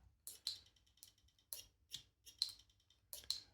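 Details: New Shimano GRX RD-RX825 12-speed Di2 rear derailleur on table test: sharp light ticks after shifts, about two a second in uneven pairs; Shimano confirmed this is normal stock behaviour.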